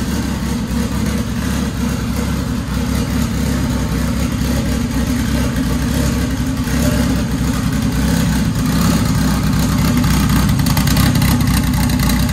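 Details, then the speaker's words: Dodge Caliber SRT4 just after Precision 6266 turbo install with coated manifold and new gasket, first start, warming at idle: even steady idle, smooth low rumble, no ticking or puffing; runs fine, new tune still needed. "so well guys i'm going to call that a success uh the car cranks runs fine idle's fine"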